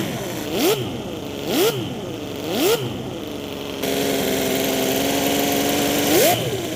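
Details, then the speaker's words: Mini V12 gasoline engine, 50 cc, overhead cams, independent coil packs, on a dyno with stock ignition replaced by MS3 Pro controlling timing and rev limiter: sharp throttle blips rising and falling cleanly, then smooth even idle; normal healthy idle and revving. "Sounds pretty good to me. It even idles and everything. I got a rev limiter."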